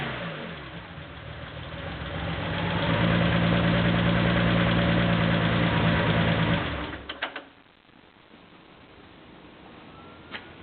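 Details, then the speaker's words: Porsche 911 2.7 L flat-six, early S cams, twin plug, 46 mm PMO throttle bodies, Tec3 management, final restart after throttle synchronization: even, steady idle swelling smoothly with throttle, then clean shutdown; throttles well balanced, normal idle. "I think that about does it I'm going to give it one last start just to see how it starts up"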